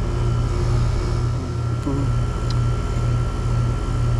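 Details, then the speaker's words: Mobile home outdoor AC condenser that previously would not run, after swapping in a new Titan HD capacitor and restoring power: steady low electrical hum with even fan whoosh, no stalling or buzzing; unit running normally. "I got the fan on. I can hear that. Yeah. Get it running. [Music] That's what it wouldn't do before, right?"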